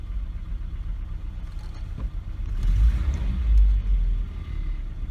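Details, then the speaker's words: Volvo 740/240 at idle just after replacing a leaking fuel pressure regulator (fuel was coming from its vacuum hose): slightly uneven at first from leftover fuel in the manifold, then settles to a low, smooth, quiet idle rumble; normal idle. "it is much much smoother as i pick up right in the beginning there but I think that's because it was fuel in the manifold from prior to changing it out and then to settled right down"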